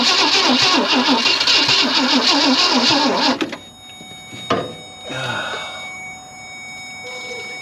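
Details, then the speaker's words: 1965 Ford Thunderbird, off the road since 1986: fast even starter cranking for about three seconds with no catch after it had started once; owner suspects flooding or a weak battery and jump box, unconfirmed. "maybe I flooded it I don't know I guess I might have to change batteries though my my jump box life was not very good"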